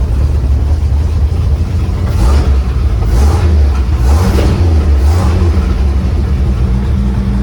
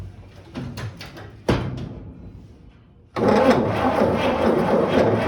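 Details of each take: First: 1955 Chevy 3100 pickup, old six-cylinder revived after long sitting, running on an added electric fuel pump because the mechanical pump won't pump (camshaft lobe suspected worn): deep, steady rumble with brief rev swells, no misses or knocks, running normally. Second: 1955 Chevy 3100 truck, long unrun, foot-switch starter: engine grinds over at a slow, uneven beat for a couple of seconds with no firing. Cranks, won't start; owner suspects the points need cleaning.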